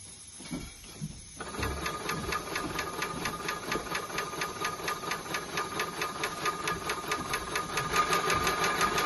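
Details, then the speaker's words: Maxitrak 5-inch Alice steam locomotive, brand new, with tank full of cold water after clearing air via bypass: quick regular clicking about two per second over air hiss; axle pump cycling normally, tank water level dropping. "you can see the water levels start to start to drop the other way to tell if the pump's working as well"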